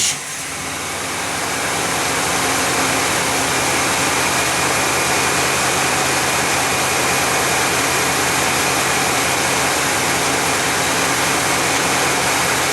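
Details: 1991 GMC Jimmy fully warmed up, about 16°C (55°F) ambient: fast, even idle that stays high with no dip or hunting; flammable spray found no vacuum leak, owner suspects an air-fuel or other sensor.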